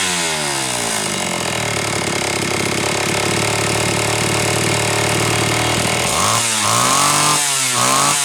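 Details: Homelite Super XL chainsaw (brought in for boiling fuel and overheating) on test run after starter spring fix and replacing a bad new spark plug; steady high buzz, then crisp rev-ups and drops; high side set slightly rich on purpose to warm it up; running healthy.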